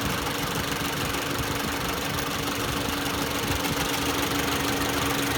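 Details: 2018 Jeep Renegade radiator fan running with a constant mid-pitch hum and a rough, uneven knocking texture, suspected worn noisy fan before replacement; not confirmed.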